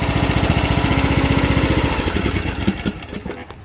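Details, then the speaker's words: John Deere D110 Briggs & Stratton engine after no-compression no-start repair, valves adjusted, left running at full throttle; quick, even firing beat, no smoking or surging; normal full-throttle running. "sounds like she's doing good not smoking not surging i think we got this one straightened out"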